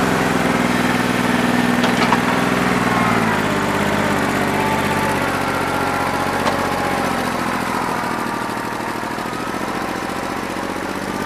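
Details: New Holland 1320 diesel tractor with a bad injector, running on about 2¼–2.5 cylinders, still rough after 3 hours of loader work when hot: chugs with an uneven, lumpy beat under the rumble, speed dropping slightly; misfire, owner thinks it needs an injector.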